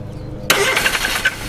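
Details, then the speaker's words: Subaru Ace M70 Super Deluxe kei car, first start after rewiring and charging the battery, with ignition timing uncertain: starter engages sharply, then irregular puffs and pops; cranks but will not start, sounding abnormal. "Oh, fuck, that doesn't sound normal. Oh, what the fuck? That doesn't sound good. Why does it sound so fucked up? That's weird."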